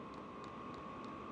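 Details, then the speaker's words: Vevor diesel heater after a fuel-pump quieting mod, priming the heat exchanger at startup: soft regular ticking about three times a second under a steady blower hum, quieter than exhaust and blower; normal fuel pump priming. "so now the pump has got primed and it's going to start priming the heat exchanger and this thing is significantly quieter I mean I hear more exhaust and blower sound than I do this fuel"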